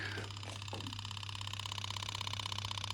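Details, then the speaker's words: Yamaha YZF1000 Thunderace before its first start after restoration, with new batteries, new fuel filter and rodent-damaged coolant hoses removed: steady electric buzz with a fast even pulsing hum as the fuel pump primes and the filter fills; normal. "running up and it must have count pressure I'm just turn one off again we on a timer the fuel filter is filling"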